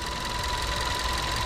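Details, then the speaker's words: Seat Leon FR 1.4 TSI, first start after installing MST Performance air intake kit: smooth even idle, steady light hum with faint constant whistle, no knocks or misses, no error warnings; normal idle. "First start. First start, guys, after installing the new intake."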